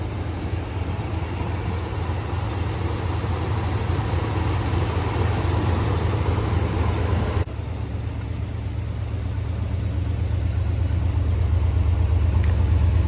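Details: 1994 Chevrolet C30 3500 ex-fire truck, 7.4 L 454 fuel-injected V8, automatic, 4WD, about 27,000 miles, sold at auction with a miss: deep, steady idle with slightly uneven, loping pulse; engine misfire at idle.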